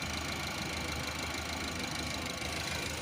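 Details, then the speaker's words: Engine after head gasket replacement following overheating: smooth, even idle with steady beat, no knocks or misses, no check engine light, no smoke; sounds original and healthy. "तो अभी आप देख सकते हो sound सुन सकते हो आप यह बिल्कुल जर्मन साउंड है ओरिजिनल वाला और इसका मी भी देख सकते हो आप कोई चेक इंजन नहीं है"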